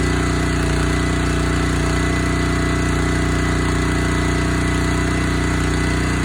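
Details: Honda GX160 single-cylinder on Splitfire wood splitter, previously bogging when splitting, after carburetor clean and oil top-up, choke half on: steady, even putt-putt idle, no stumbles or hunting; sounds fine, normal idle.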